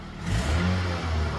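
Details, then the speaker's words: Car with 236,000 miles, getting 34 mpg, blipped to about quarter throttle; rises from idle and settles back smoothly with an even clean note, no rattles or misses; healthy engine. "Oh yeah. That's about quarter throttle. She purr, baby."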